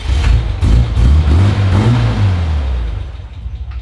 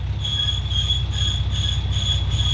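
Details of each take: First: Nissan GQ Patrol after a new clutch, replacing a seized, squealing thrust bearing: pulls away smoothly as revs rise and settle, no squeak or chatter as the clutch takes up; normal engagement. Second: Nissan GQ Patrol running with a seized clutch throwout (thrust) bearing: steady high-pitched squeal constantly over a low engine rumble, bearing squeaking and damaging the clutch; throwout bearing squeal before clutch replacement.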